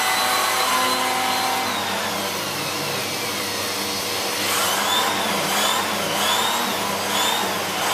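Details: Siemens Z6.0 Power 2500W bagged cylinder vacuum with its mini turbo brush cleaning a chair. Steady, even roar with a high airy whistle holding speed without sagging under load; the brush spins freely, normal operation.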